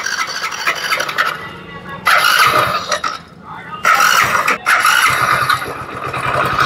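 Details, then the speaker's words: Hero Splendor Plus BS6 motorcycle engine at start and running; harsh metallic clatter with a shrill squeal in loud surges; crankshaft seized, and the connecting rod and bearings are worn or damaged. "इसके जो engine के sound है कितने बेकार हो गए इसकी जो क्र के दोस्तों वो पूरी सीज हो चुकी है इसके क्रैंक के कनेक्टिंग रोड जो होती है वो खराब हो चुकी है"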